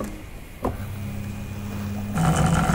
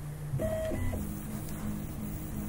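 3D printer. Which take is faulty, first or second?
first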